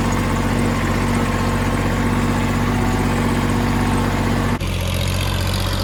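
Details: Kubota L3000DT diesel tractor after a used replacement engine was fitted and serviced: steady, even idle with a smooth low beat, no knocks or misses; normal healthy idle.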